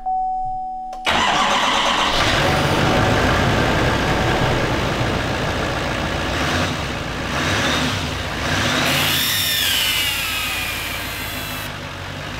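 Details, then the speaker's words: 2018 GMC Sierra 3500 HD salvage rebuild. The engine cranks, catches and idles with a thin hissing whistle over the rumble from exhaust escaping at the EGR pipe flange gasket; the flange may be bent. The fix is to replace the pipe between the intake and the EGR. "heard the word whistle noise yeah that's because of the air go through the gasket and whenever there's air builds out and it pushes out wobbles like so and makes that noise"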